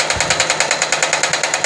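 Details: Sewing machine running loud, sharp even clatter about eight times a second with bright metallic edge while stitching; knocking noise, cause suspected not confirmed, oiling shown as remedy.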